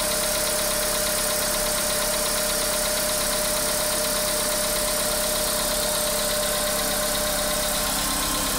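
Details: Engine knock at idle, low fuel (per caption): steady idle with a faint regular light knock about three a second under a lot of hiss; cause undetermined.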